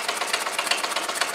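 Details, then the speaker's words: Homemade solenoid motor built from a brush-cutter crank and crankcase: quick, even clicking about eight times a second with a dry scraping rasp, because the gudgeon pin slid out after its screw was left untightened and is rubbing the barrel. "there is how um gudon pin has slid out and uh rubbing on the side the barrel so um I must have forgotten to tighten that up"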